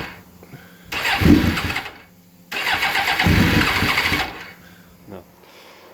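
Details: Suzuki GSXR 750 SRAD motorcycle, sitting since last September, with fuel priming: two bursts of starter cranking with weak catches that die at once; fires momentarily but never keeps running.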